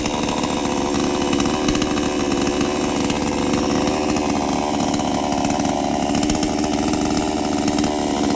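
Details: New-model Kratingdaeng 5800 chainsaw, 11.5-inch bar, started with choke pulled then pushed in: settles into a steady, even buzz with no stumbling or surging; normal clean running.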